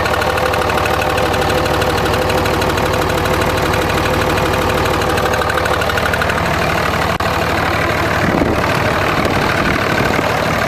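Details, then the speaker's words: 2004.5 Ram 2500 Cummins diesel: loose, roughly three-per-second uneven knock over the clatter, heard in reverse and when the truck bounces off the brake but gone at idle; cause undetermined. "Let off the brake, truck bounced back and forth, and you can hear it when it bounced, but you can't hear it at idle."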